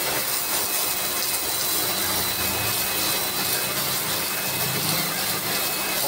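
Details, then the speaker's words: Lakoni Laguna 70 brushed-motor pressure washer spraying while cleaning moss: loud steady hissing whine with spray noise, no surging or knocking; noisy because of the brush motor but running normally. "Okelah ya cukuplah ya suaranya juga cukup berisik karena ini masih pakai brush"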